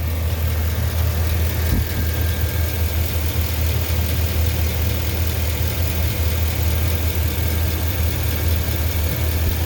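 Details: 2009 Chevy 2500HD 6.0L V8 at idle: rough loping beat with a fast puffing tick from cylinder 5, misfire code P0305 despite new plugs, coil and injector; found a stuck exhaust lifter on cylinder 5 plus a leaking exhaust flange gasket.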